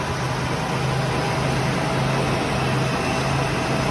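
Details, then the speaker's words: Classic Ford engine (Maverick), first start since 2004, no fuel in the line yet: steady, even hum with a constant low note and no misses or knocks; the old engine idles smoothly. "I mean that thing was going to idle it's insane this old girl is idling awesome awesome"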